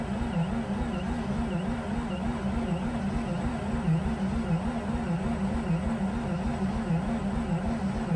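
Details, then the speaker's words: Mazda RX8 rotary that won't start, after replacing 2-year-old fuel with 93 octane, possibly flooded, gas pedal pressed slightly; slow labouring starter whirr about fifty pulses a minute, no catch. Cranking slower, battery losing charge. "okay i'm pressing down the gas slightly releasing it okay well nothing's happening it's spinning even slower"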